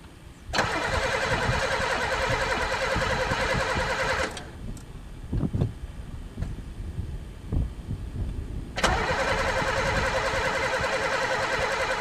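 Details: Pontiac car unstarted for three years, throttle sticky, gas dumped in the carb: starter cranks steadily in two long bursts, never catching or firing; cranks but won't start, owner suspects no spark or broken fuel lines.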